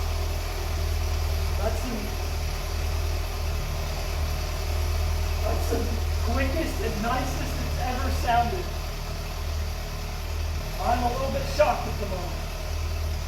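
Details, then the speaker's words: 1982 BMW 320i at idle after reinstalling tanks and fuel pumps, cleaning injectors and taping vacuum lines, new battery: steady, even low idle with no misses or hunting, first time it has run this nicely; healthy. "so I've had it running twice before but this is the first time it's ran this nicely"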